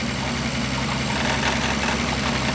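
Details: 1962 Austin Healey 3000 BT7 with rebuilt engine at idle: light, fast metallic rattle throughout, caused by the hood hinge slightly hitting the body; owner considers moving it back or adding rubber.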